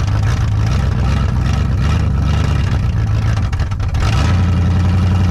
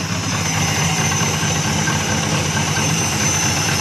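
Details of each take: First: 1974 Dodge Monaco V8 barn find parked since 1990, running on carburetor: steady deep even rumble with no knocks or misses; engine sounds good and healthy, carburetor still needs a rebuild kit. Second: 1974 Dodge Monaco V8, barn find parked since 1990 (about 98,000 miles), first start after sitting: steady loud idle with raw open hiss and rasp, exhaust blowing out everywhere; exhaust leak, owner suspects mouse nests packed in the exhaust.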